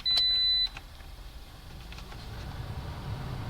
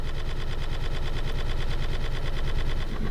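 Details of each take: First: 2010 Toyota Corolla LE whose blower made the whole car shake, after repair with the glove box refitted: a chime, then a smooth, even rush of air building as the fan speeds up, with no rattle or vibration; normal blower operation. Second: 2010 Toyota Corolla LE, blower running: a rapid machine-gun clatter with heavy low shaking that vibrates the whole car, from debris unbalancing the blower fan wheel.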